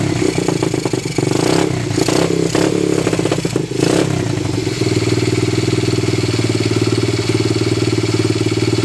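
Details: Honda XL70 fitted with a Chinese 125cc pit bike engine, just started with choke on: a few throttle blips, then an even, steady thumping idle with no misses or knocks; normal idle on choke.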